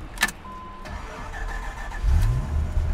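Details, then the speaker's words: 1995 Dodge Viper RT/10 V10 with about 6,214 original miles, starting for a road test: a short starter whir, then it catches at once and settles into a deep, steady idle. A clean, healthy, easy start. "démarre facilement comme je dit ca fonctionne comme il se doit"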